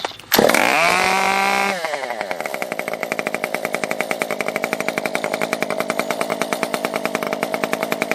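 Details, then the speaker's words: Stihl MS 194T top-handle chainsaw after muffler mod (inner baffle removed, outlet opened flush), choked cold start, brief blips, not fully warmed: high rev drops to crisp, even idle of steady pops; runs clean, normal idle as intended. "That sounds pretty much like how I want it to sound."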